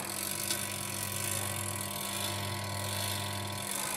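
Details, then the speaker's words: Spin dryer motor gives a steady low mains hum and only barely turns; it spins faster if pushed by hand but won't run. The hum points to a failed motor winding rather than a dead motor or the capacitor. "कि यह motor की winding खराब होने की निशानी है तो यह मैं उसको बंद करता हूं तनिक मोटर खराब होने की निशानी है"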